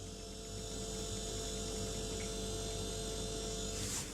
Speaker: Y vamos a ver que dos son normales. Pero hay un tercero que indica un problema. En primer lugar tenemos el ruido del motocompresor,